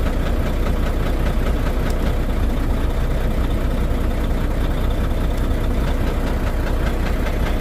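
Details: Volvo D13 diesel idling rough and uneven, with a deep lumpy knock about twice a second; the misfire and low power come from damaged, badly worn fuel injectors, with cylinders 5 and 6 found worn when removed.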